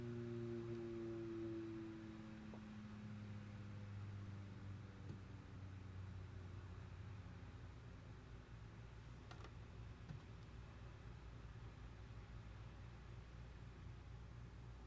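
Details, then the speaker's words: Western Digital hard drive spinning up in a cloning dock: a low, heavy hum with strong vibration, tones sliding down and fading as the drive quits and isn't found; possibly a SATA power issue. "A lot of vibration to it. Now it's quit."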